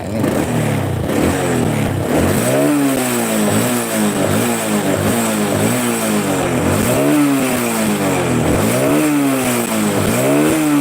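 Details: Honda Supra 125 after repair of a connecting-rod "tek tek tek" noise that used to be heard under throttle. Repeated throttle blips now rise and fall cleanly in pitch with no ticking or tapping; the engine revs healthy and the noise is fixed.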